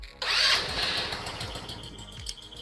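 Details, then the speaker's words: Scooter after stator replacement, with the loose stator butt-connector lead reconnected after earlier long cranking with no start: brief starter whir, engine catches immediately and settles into quick, even idle; disconnected wire was the issue. "I'm going to take it as a win that definitely was the issue as you guys saw we were cranking and cranking and cranking before and there was nothing that was an immediate start"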